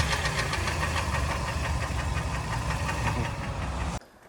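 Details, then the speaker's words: 2013 Kia Sportage, AWD, about 120–125k km, engine revved warm: sharp metallic knock that rises with revs and stops at shutoff; light knock began around 100k km, now loud cold and hot; piston knock from scored cylinders. "где-то на пробеге 100 тысяч автомобиль Застучал начал легкий постукам Да сейчас стучит конкретно так прямо солидно"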